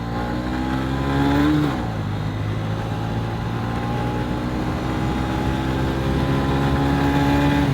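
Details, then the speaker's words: Derestricted 2023 Honda CB125F with high-compression piston, accelerating on road after clutch free play adjustment and/or CRF125 clutch springs: single-cylinder note rises and falls with throttle, revs tracking road speed without flaring; clutch slip solved, normal engagement. "Either way, the bike, you can hear it when I accelerate. The RPMs aren't abnormally raising"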